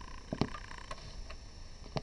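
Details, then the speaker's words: Yamaha PSS-380/390 keyboard that won't turn on: dull pop at switch-on, then only faint hiss; the amplifier powers up but the keyboard does not, cause unknown, small fault or blown device. "you can hear a pop sound that means that um the amplifier of this keyboard is turning on but the keyboard itself is not turning on"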